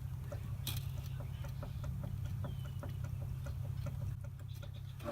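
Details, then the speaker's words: 2019 Subaru Outback with wheel partly jacked to take weight off, suspension noise: regular light clicks about three a second over a low hum as the wheel is rocked; slop in worn sway bar end link, to be replaced. "That is the slop, and we're going to change that out."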